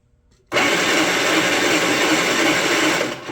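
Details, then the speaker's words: Predator 3500 watt inverter generator, bought non-working, started with charged jump box: harsh steady electric grind for three seconds, no firing; starter spins but engine seems not to turn over, nothing on screen. Cause suspected, not confirmed. "try contact clear prop I don't think the engine's turning over"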